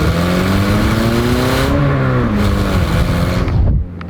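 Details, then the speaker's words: Toyota Corolla, 1.8 L four-cylinder, 5-speed manual, almost 300,000 miles, original owner, driving: strong clean pull with smoothly rising note through the revs, no misfire or knock; healthy engine under load. "Now listen to it. It's purring like a kitten."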